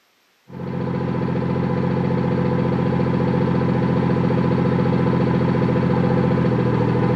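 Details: BMW F30 340i after replacing the clip on a rattling exhaust valve: it catches at once and holds a smooth, steady idle with no rattle or buzz from the exhaust. It sounds healthy.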